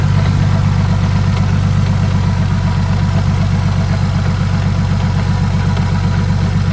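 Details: Saab turbo engine after upgrade from 57mm to 62mm turbo and replacement of a dry-rotted, hardened hose that caused an oil leak: steady, even low idle with smooth beat, no knocks or hiss; normal idle.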